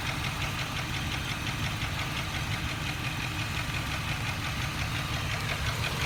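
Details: 2002 Jeep Grand Cherokee Laredo petrol engine at idle: quick even ticking over the low rumble, louder when throttle is pressed; exhaust leak, lifter tick or rod knock suspected, unconfirmed.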